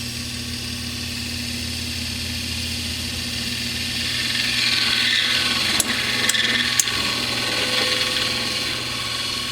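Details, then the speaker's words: Samsung convection oven, mic beside the stove near the middle convection fan motor: steady whirring drone with a high whine growing louder as the fan speeds up; noisy fan motor, replaced with part DG31-00005A. "some guys can hear that quite good and even from here it's quite loud"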